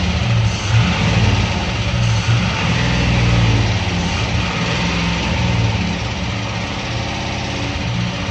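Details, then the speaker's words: 1948 five-window truck first start after about 50 years, fed gas by hand, backfiring through the intake and smoking: uneven beat with a loose irregular knock around three per second, engine feels unbalanced; suspected valve problem or bad fuel/water, unconfirmed. "Like a valve, a torque converter boat, slapping and bell housing. I don't know, but I can feel the unbalance in the engine right away."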